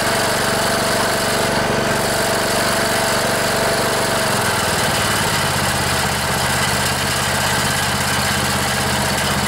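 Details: Cub Cadet LT1018 riding mower, 18.5 hp Briggs & Stratton Intek OHV single, after sitting about a year; fouled spark plug replaced, started with starting fluid: fires steadily, smooth even idle with a slight speed dip midway; running normally.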